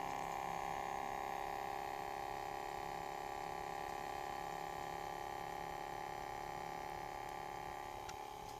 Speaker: Holy shoot, this DVD player has a loud noise.